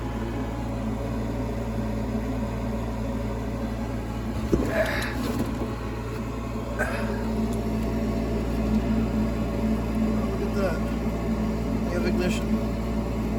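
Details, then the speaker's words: Bryant Plus 90 high-efficiency attic gas furnace after replacing burning inducer motor: steady inducer hum, soft whoosh as burners ignite, then blower builds in; runs even and healthy, normal operation (tech suspects cracked heat exchanger). "ignition hope that blower kicks on there's a blower [Laughter] that shit's crazy got in there can't even hear it"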